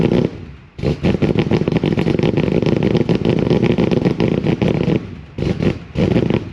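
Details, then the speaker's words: 1988 Holden VL SV88, Rochester Quadrajet, rear muffler pulled off: a rough, stumbling run with an uneven beat and dropouts. It runs badly rich, with fuel smell and reluctance to start, as suspected dirt under the needle and seat floods the carby. "Definitely running rich big time. What's going on there?"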